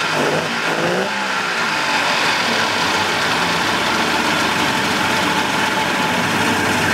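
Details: 1988 Mercury 70 hp inline three-cylinder two-stroke outboard in a test tank after carburetor work, smoking a little. Started on the key to an even, steady idle with a smooth buzzy note; the carburetors are feeding cleanly. Normal idle.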